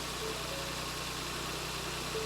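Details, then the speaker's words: 2024 Ford Focus, crash-damaged salvage car being rebuilt, first start after fuel priming, clutch down and out of gear: smooth even idle holding on its own, no knocks, misses or hunting; sounds lovely, normal idle. "go for it send it too easy it's all right is it will it tick over that's on its own that sounds lovely"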